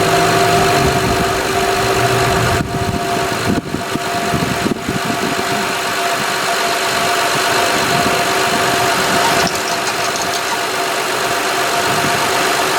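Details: 2006 Honda Odyssey EX-L RES with a newly replaced power steering pump, filled with Honda fluid: a steady high whine that does not change pitch over a smooth idle, the new pump complaining, likely from air.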